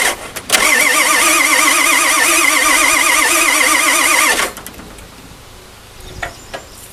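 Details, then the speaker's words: 1997 Ford F-350 with swapped-in engine that sat 10+ years, cranking with a replacement crank sensor fitted: steady even cranking, no firing; cranks but won't start, owner suspects a faulty engine computer. "So what I started to think is maybe there was a problem with one of our computers."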